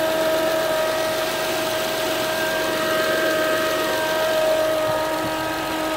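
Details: 2007 Acura TL Type S: steady high-pitched whine at even pitch over the idling engine, rising slightly with light revs; engine-bay whine, source not identified.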